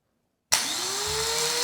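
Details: Craftsman snow blower, model 247.889571, electric starter plugged into the wall: whirs up quickly from standstill to a smooth, steady spin with no grinding; starter motor good, only a new micro switch needed.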